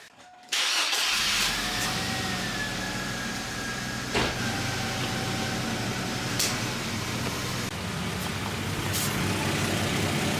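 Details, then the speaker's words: 2002 Chevy Blazer 4.3L V6 Vortec after transmission solenoid replacement, MAF diagnosis and newly welded exhaust system; cranks and catches in about half a second, then a steady, even idle running really smooth: normal. "All good to go. Engine's running really smooth."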